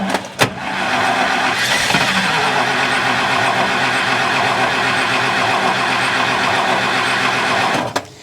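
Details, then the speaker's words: 1964 International service truck with the mechanical fuel pump outlet disconnected to test it: starter spins the engine evenly for about six seconds without a single firing pulse and no fuel comes out; crank, no start from failed mechanical fuel pump. "yeah that should have popped fuel out so that's definitely not working"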